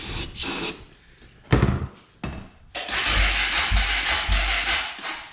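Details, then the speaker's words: 2004 Suzuki LTZ250 quad, smoking heavily with bad smell, battery running down: cranks in short bursts, catches and runs rough a couple of seconds, then dies as soon as fuel tap is turned on; stalling when fuel is turned on. "Yeah, as soon as I turn the gas on, she don't want to run now."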